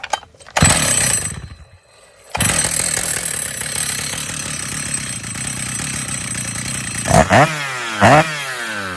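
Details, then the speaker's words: Stihl MS 880 chainsaw, 121.6 cc, idle 2700 rpm, clutch engages 3400 rpm, idling with a rough rattling metallic clatter then throttle blips; worn clutch knocking at idle needs replacement. "Malheureusement, l'embrayage ne fonctionne plus. Il n'y a pas d'autre solution . Il va falloir le remplacer."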